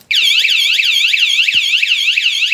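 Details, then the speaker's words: wsdcam 113dB wireless vibration bike alarm, armed with confirming beep, then bumped; immediate piercing sweeping siren warbling about four times a second. Alarm triggered by bump, stopped by remote button. "now anyone comes along and bumps into it get again"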